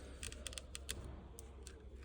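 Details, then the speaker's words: Audi A6 C8 dashboard: sharp, irregular crackling ticks as the decorative trim and ambient light strip are pressed; loose clips on the dash trim creaking against the panel. "основная проблема в этом декоре именно вот да вот именно вот здесь вот вот когда ходит он начинает скрипеть"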